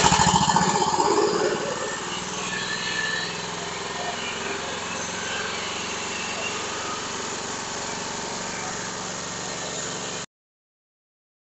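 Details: Mower engine with no-start fuel problem, run from a separate tank feeding the carburetor after flushing with fresh fuel: catches and settles into a steady fast putter about three and a half beats a second, running cleanly.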